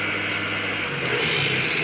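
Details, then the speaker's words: Mazda Demio at idle after evaporator repair and Freon recharge: raspy, rattling hiss over the engine swelling when the compressor cuts in, noise fading with slight revving; worn AC compressor, said to be a common Mazda problem. "Okay mga boss, yung ating compressor. May ingay na, no? Naririnig na. So, ganyan ang sakit niyan."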